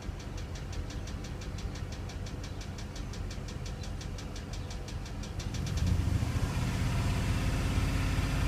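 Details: Ram 4.7L with a misfire on cylinder #7: sharp, even top-end ticking about 3.5 times a second over a rough idle, then revving. New plug and flush didn't help, and rockers and lifters look fine. #7 compresses 70 psi versus 150 psi on the others; a bad valve seat or spun rod bearing is suspected.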